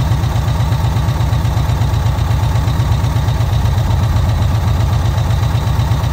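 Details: VW Kombi air-cooled petrol engine on its carburettor after the jet (chicre) was swapped and the air adjusted: a steady, even low idle with a smooth regular beat and no misses or knocks; normal, healthy idle.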